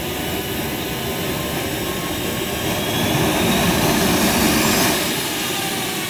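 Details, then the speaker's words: JetCat RC jet turbine after repair (starter clutch, worn bearings, deformed cracked NGV causing blade contact fixed): autostart completes normally, steady rising roar settling to even whoosh, clean start. "Starter works normally"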